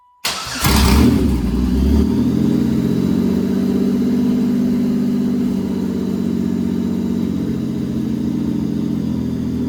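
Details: Pontiac Fiero with swapped GM 3800 engine, first start before coolant fill; cranks, catches at once with a quick rev, then settles into a steady, even idle without misses or knocks. Normal start and idle.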